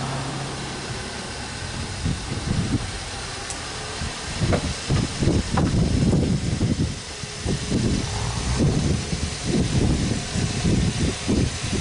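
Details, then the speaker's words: 2017 Kia Optima 2.4, burning a quart of oil every 825 miles, just caught after long cranking following a Berryman B12 and Liquid Moly flush soak to unstick the oil rings; low uneven idle with irregular surges and dips, still settling. "Yeah, the video showed that it takes a long time to start that. I mean, a long time."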